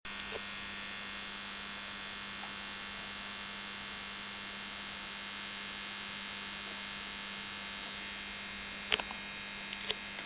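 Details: Onkyo TX-NR709 AV receiver after about one hour of running: a steady, harsh electrical buzz like an electric shaver, holding one pitch with a couple of faint clicks.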